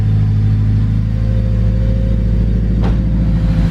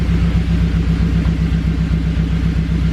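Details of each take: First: Honda Civic EK hatch with a turbocharged K20 engine, 11.5 compression, everything replaced, on its first road test: a deep, steady exhaust rumble pulling evenly with no misses, knocks or whines; normal running. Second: Honda Civic EK hatch with turbocharged K20, 11.5 compression, old gas, 99°F and too much boost: deep rumbling uneven idle with about four stumbles a second, like a cylinder missing; engine damaged, cause suspected, not confirmed.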